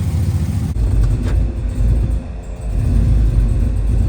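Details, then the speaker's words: Desperado truck V8, swapped-in engine with a sloppy stage 3 cam after a rod knock: deep rumble that surges and dips unevenly; possible miss, owner attributes it to the tune being off. "Oh, it's not running perfectly. Definitely got something to do with my tune being off."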